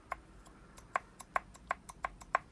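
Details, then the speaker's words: Vauxhall Astra VXR/OPC Z20LEH with stock GM K04 turbo, run at 24–26 psi by a poor map and failed within 400 miles, smoking; turbo dismantled, shaft rocked by hand gives sharp dry clicks, excess side-to-side play from a worn thrust bearing overloaded by too much boost. "now that is down to a warm thrust bearing. Now normally that's down to excessive loads on either side of the turbo, so it's either exhaust side or the compressor side, and it's just basically down to way too much boost for this little turbo."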